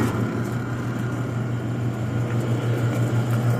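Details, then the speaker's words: Brower seed/feed mixer with Ajax 3-phase 208/230/460 V motor running on 220 V single-phase through a phase converter, turning the proper direction: even low electrical hum with steady whir, no knocks or rubbing; normal motor hum. "The unit just hums right along with no irregular noises."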